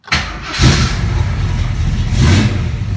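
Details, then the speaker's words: 1974 AMC AMX Javelin V8 key start: short crank, catches at once and settles into a strong, even idle with no misses; starts cleanly, normal start. "fires right up. It's a great engine."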